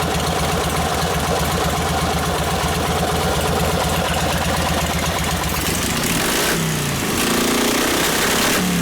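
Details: 1952 Harley 74ci panhead, rebuilt top end and Linkert carb, running hot on full choke, mixture about 5 turns out: uneven, loping idle that picks up on throttle, revs climbing and dropping unevenly; running lean, needs a bigger jet.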